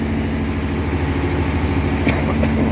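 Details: 1957 Ford Thunderbird 312 Y-block V8, 86,000 miles, first run after 35 years off the road: steady, even idle with no misses but a very high idle; owner suspects a vacuum leak, cause unknown.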